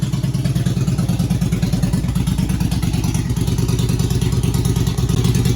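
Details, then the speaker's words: 2001 Yamaha 1100 V-twin motorcycle after fouled spark plugs and flooding, warming up: steady low-pitched idle with an even, uneven-firing lope and no misses; running cleanly. "The spark plugs were fouled up. I flooded it. Now it's running, and let it warm up."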